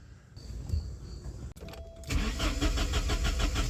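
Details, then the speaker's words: 1989 Porsche 944 2.7 that has been temperamental to start: the starter spins at about three beats a second for under two seconds and it never fires. Spark is present; injectors and the DME relay are suspected. "well it decided it doesn't want to run again so great"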